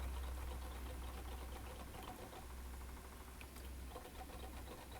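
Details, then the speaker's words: Panasonic NV-FS100 VCR, jog control turned backward: a soft, steady hum with light rapid ticking from the mechanism as the tape reviews in reverse. It sounds smooth and even, a normal, healthy review motor running. "Jog forward and back. Hear that the review motor there running when you turn it backwards."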